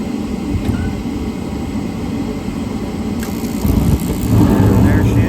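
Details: York rooftop gas heating unit restarting after pressure switch set to 0.33 in (inducer pulls about 1 inch): steady blower rumble, then fuller louder roar at ~4 s as burners light, runs evenly; normal startup.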